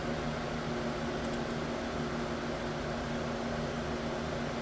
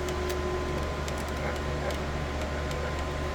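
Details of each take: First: Anycubic Ace Pro filament unit slot 3 purging during a test print, after earlier loud clicking: a steady, even motor hum with no clicks, grinding or stutter. The slot is now feeding normally. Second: Ace Pro filament feeder loading slot 2, one filament at a time: over a steady motor hum come scattered sharp clunks, one or two a second.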